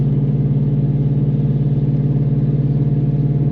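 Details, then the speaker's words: Aftermarket-exhaust car in 6th gear at highway cruise: loud, deep, steady booming hum holding constant, so loud the driver can't hold a conversation or hear himself talk; exhaust drone. "Yeah, it's quite loud, and I'm not just yelling to give it dramatic effect either. Like, I can't hear myself talk."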